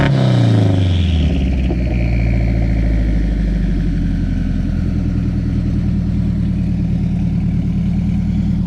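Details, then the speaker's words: Home-built turbocharged Honda CR-V, after repair: suspected misfire, seemingly running on two cylinders, was actually a faulty injector wire; during tuning: quick blip dropping back to deep steady even drone, no stumble; running much better. "Turns out it wasn't a misfire, it was a injector wire, and he's doing some tuning right now, but it's running a lot better."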